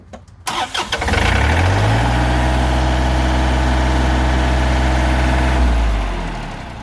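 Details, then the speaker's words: 2021 John Deere 3025E diesel tractor after the fix: it wouldn't start, clicked once and showed ECU code 1078.04 (fuel pump speed sensor), but the real cause was loose red wires, now tightened. Short crank, quick catch, steady even idle: normal start. "it's running okay we fixed it it was not the fuel pump speed sensor like the computer told you it was just loose wires here"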